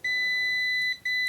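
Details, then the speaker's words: KAIWEETS KM602 multimeter in dedicated buzzer mode, testing buzzer speed (expected faster than automatic mode). A clean, high beep cuts off and restarts almost instantly: normal, quick continuity response. "Buzzer, the cell button doesn't do anything. Let's see the speed of the buzzer, which should be better."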